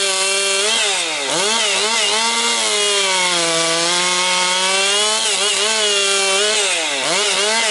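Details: Husqvarna 262XP two-stroke chainsaw after rebuild, breaking in with compression up: high wail dips under load in low-grade pine and recovers cleanly, strong steady pull throughout. Saw running healthy.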